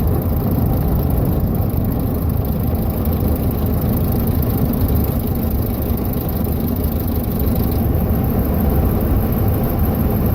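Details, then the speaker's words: 2011 Ram 1500 Hemi 5.7 MDS: fast fluttering, slapping rattle like a playing card in bike spokes while coasting off throttle; fixed by replacing cam phaser and timing chain tensioner. "it sounds more like when you were a kid and you'd put a playing card in your spokes and you hear that like slapping rattling sound"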